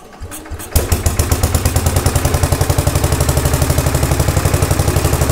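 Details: 1950s Agricat mini dozer, Briggs & Stratton model 23A after rebuild, converted to coil-and-battery ignition with starter generator; about 40°F in garage, choke and throttle not yet hooked up; second start catches after brief crank, steady even idle for break-in; normal idle.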